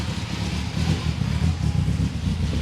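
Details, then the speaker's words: Freshly rebuilt BMW S14 engine in an E30 M3, early starts, running slightly rich: deep lumpy revving that surges and stumbles and won't settle to idle; cause unknown, idle control valve suspected. "it won't idle basically right so yep okay so it's not idling very well we have to figure that out and understand what's going on with the idle"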